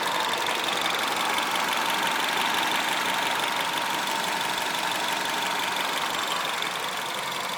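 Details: Engine with THP 175 at idle: steady idle with hissy top end, thin high whistle and fast light ticking; abnormal idle noise, cause unclear.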